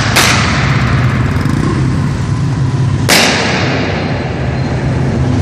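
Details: Royal Enfield single-cylinder thumping run broken by two sharp bangs about three seconds apart: engine misfire.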